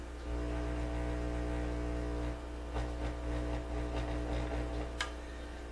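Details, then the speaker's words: Philco 41 315X tube radio under repair: a steady, low mains hum drones through the speaker and shifts when the .003 capacitors at the plate of the 42 output tube are poked. Poking there can almost make the hum go away, locating the fault. "So, without further ado, you'll be able to hear it when I start poking at it. There's my hum."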